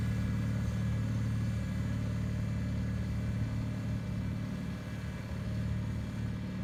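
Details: 1974 Bolens HT20 garden tractor on test run after replacing a coil burned out when the ignition was left on after a stall (fuel issue suspected): steady low drone with slight load dip near the end, no stumbling or misfire; running well.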